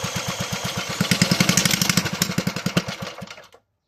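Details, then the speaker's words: Toro 18005 mower, Tecumseh engine (possibly TVS series), carburetor cleaned, tank refitted and fueled, oil barely on dipstick: sharp popping around ten a second, slightly uneven, then cuts out; engine fires up and runs. "she fired up. >> She'll be a runner. Holy cow. I honestly did not have high hopes for this engine given the state that I found it in."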